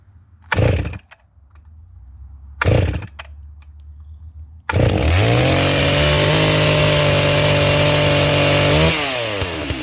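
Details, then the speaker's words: Brand-new Neotec NS892 chainsaw, an MS660 clone, on its first start out of the box from half choke with a new chain. It holds a steady high-pitched drone with a slight burble, mixture on the rich side. "it sounds like it's pretty close where it's at yeah it's definitely on the rich side but that's fine with a brand new piece of equipment"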